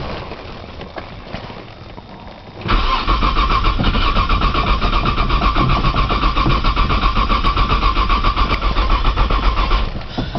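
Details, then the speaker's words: 1995 Nissan Maxima, 210,000 miles, push-button start, cold start in snow with weak battery; steady starter churn at about four beats a second for seven seconds without firing. Owner suspects a bad sensor; priming with fuel tried. "try priming with fuel again man she does not want to crank today"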